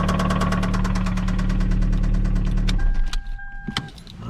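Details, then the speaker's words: 2004 Toyota Celica GT with 185,000 miles, found extremely low on oil, idling after oil was added: steady deep knock about four per second from the bottom end, likely rod bearing damage from oil starvation. "we've got kind of a knocking noise now down in the bottom of the motor not sure how well you can hear it"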